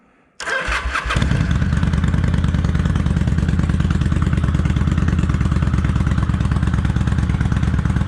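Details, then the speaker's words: Kawasaki Vulcan 800 Classic V-twin, cold start on light choke on a chilly day of about 51°F, after an accelerator pump fix and oil change. It catches quickly, then settles into an even, steady idle with regular firing pulses and no knocks; sounds healthy. "It's sounding good, y'all. I don't know how well the microphone can pick this up, but it sounds good. Let's sit here and warm up just a little."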